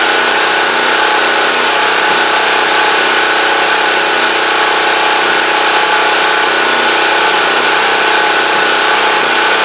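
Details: Champion Dual Fuel 3500 W generator running after carburetor cleaning cured a no-start, started on full choke; steady, even drone with no misses, surging or knocks, deemed normal though unsure if slightly rough, as it always sounds.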